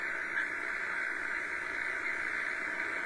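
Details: Shortwave HF receiver, afternoon, S-meter nearly pegged by noise: steady even hiss with rushing band, normally clear station not getting through; heavy static, owner suspects dry weather and airborne static, not confirmed.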